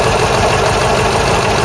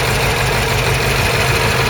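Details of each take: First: Ford Cortina Mk3 GXL engine at idle after the season: faint light tapping over a steady idle, traced to a noisy EGR recirculation valve, not the tappets per stethoscope; owner plans to adjust its spring. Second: Ford Cortina Mk3 GXL Pinto engine after the season, engine bay walkaround: steady even tickover with smooth low rumble, no misses or knocks; normal idle.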